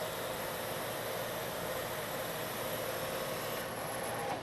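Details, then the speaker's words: Metal lathe turning a long, thin part, now supported by a centre in a machined centre hole, at the same depth and speed that chattered before. Steady hum and cutting hiss with no chatter, giving a much better surface finish. "and if I stop the machine you can see I have a much better surface finish"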